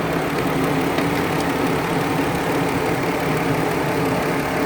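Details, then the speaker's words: Warmed-up car after repairing a snapped radiator coolant overflow nipple: loud, coarse idle with a gravelly, uneven clatter like a tractor; owner calls it a whole other issue; rough idle, cause unknown. "You know, the car sounds like a tractor engine, but that's a whole other issue."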